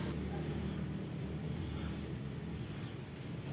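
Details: Toyota Avanza, wheel off: hand-spun brake rotor turns quietly over a low steady hum with no scraping or grinding, after cleaning the brakes to cure a scraping noise that followed wheel rotation while driving; no replacement needed.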